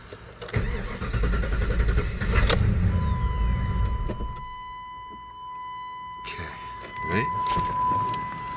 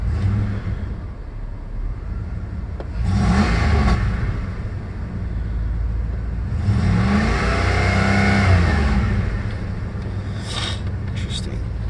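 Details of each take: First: 1996 Jeep Grand Cherokee: cranks, catches, runs rough a couple of seconds then dies to a chime; stalling at operating temperature traced to a corroded ECU connector lead, fixed with contact cleaner. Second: 1996 Jeep Grand Cherokee that sputtered and stalled when warm, after cleaning the computer connector terminals with contact cleaner; at operating temperature engine revs up cleanly several times and settles smoothly, no stumble or misfire; normal revving.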